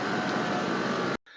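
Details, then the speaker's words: 2003 Lincoln Navigator air suspension compressor running with a steady, even whirring hum that cuts off abruptly, pumping normally after another relay next to it was found; vehicle off jack and pumping up, relay not confirmed as cause. "the air compressor was running. I found another relay that was right next to it."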